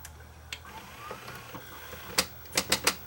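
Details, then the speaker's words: JVC HR-FS1 vertical VCR: quiet whir, then four sharp clacks as fast forward engages and the tape transport jams; play, rewind and eject work, but the broken main cam overtravels on fast forward or reverse search. "Well, so it really isn't fine. Just a joke. Yeah, it's the main cam's broken on this thing."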